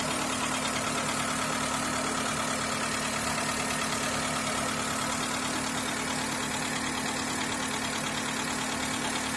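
Fairly regular knocking about three times a second rides over a steady idle; the cause is unknown without further checks.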